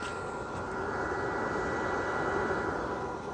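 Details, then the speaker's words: Welder just unboxed and switched on at the rear power button, not welding: a steady airy whoosh with a faint constant whir and no rattles or scraping. The cooling fan is spinning normally. "it is blowing yeah those hair coming up it's definitely definitely working"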